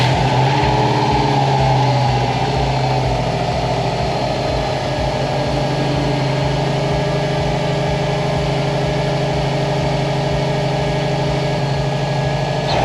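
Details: 2004 Subaru WRX wagon at its first start after a used timing kit was installed to cure a knock from a loose timing belt tensioner pulley: even, steady idle with a smooth low hum and no knocking over thirteen seconds.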